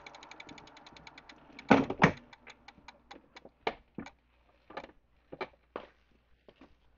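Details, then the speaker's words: Elite Direto XR trainer under 5,000 km of use: light ticking then uneven hollow thumps from the rear, louder when riding harder; rubber shreds from the belt found, owner suspects idler pulley or belt wear; knocking, grinding noise. "so that's the sound coming from somewhere back here it usually gets louder when I ride a little bit harder"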